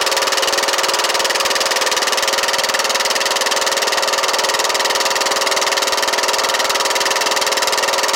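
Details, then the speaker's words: Kohler Courage 18 hp on Troy-Bilt Bronco automatic riding mower; steady single-cylinder idle with even, quick beat, no knocking, heavy smoke from muffler; guessed oil leaking from valve cover gasket. "guys so you can see it's smoking let's stop this right here and check for again usually one of the first signs is well that could be Muffler's smoking really bad because the oil is leaking out of that valve cover I'm guessing"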